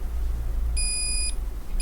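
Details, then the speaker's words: Asus VivoBook X543M laptop that will not power on, motherboard continuity check with a multimeter: half-second beep then a short chirp as a rail reads 0000 to ground on both sides, a dead short. "here we found the problem here we have a shot straight to round zero zero zero zero on both sides"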